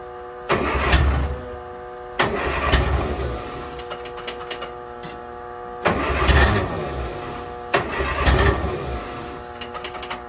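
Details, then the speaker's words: 1963 Austin Healey Sprite 1098, unused almost a year. Four cranking bursts of about a second each never catch; it cranks but won't start. The gauge shows fuel pressure, but the owner suspects a completely clogged, dirty fuel filter. "we are getting pressure but I think this thing is completely clogged up so what we're going to do is crack open this here and we'll replace that filter"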